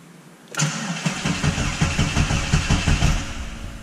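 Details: FuelTech FT450-injected Voyage cranked with no injection or injectors to test the crank sensor's phonic-wheel RPM reading after a new harness: steady starter cranking at about three even pulses a second, no catches or scrapes; normal cranking.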